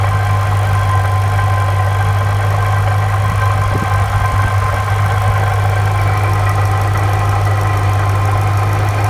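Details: Saleen supercharged engine at idle, with a light metallic rattle over a deep drone, loudest around the supercharger; a loose or worn part is suspected, not yet found.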